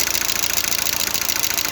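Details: Lada Largus/Vesta at 432,000 km, fully warmed up with the oil pressure lamp lit: fast, even light ticking over hot idle in time with the engine, hydraulic lifters knocking; owner changes the oil and filter for thicker oil.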